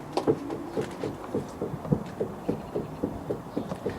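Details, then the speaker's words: Porsche 986 Boxster, warmed up, front suspension rocked by hand: repeated dull wooden knocks, only when warm, also heard over small bumps at low speed; suspected worn inner track control arm joint, other suspension parts already checked. "if you've got a suspension knock that's only on the cars warmed up going over small bumps low speed it's probably the inner track control arms"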